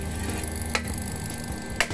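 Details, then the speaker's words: Water pump after light hammer tapping to remove rough noise, run on mains power: steady even hum, no grinding or rattle; rotation smooth. "lah langsung makyes halus ya tidak ada suara yang tidak enak suaranya enak semua"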